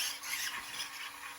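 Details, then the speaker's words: FlySky FS GT5 receiver with gyro (SPC) on a no-prep RC drag car: short, rapid bursts of high buzzing whine as the steering servo twitches back and forth making quick corrections, gyro working normally. "but it's good to know that the gyro works. It's doing what it's supposed to."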